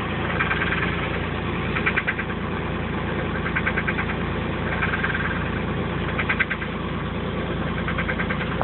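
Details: 1985 Chevrolet Camaro Berlinetta at idle: a steady idle broken every couple of seconds by short bursts of rapid light knocking that doesn't always occur; source unknown.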